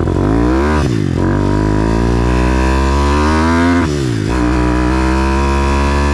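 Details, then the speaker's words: YX 160 4S single-cylinder pit bike with mildly prepped head, on-bike ride during carb tuning: revs rise and fall with slight stuttering at low revs off throttle; runs a bit rich, fine higher up but not at bottom. "J'accélère pas. Elle broute un peu."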